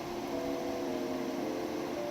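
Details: 2008 Infiniti G37 with ignition on; constant, unchanging whir of the radiator cooling fan stuck on full speed because the fan control module has failed and runs in safe mode; fix is replacing the module, OEM recommended.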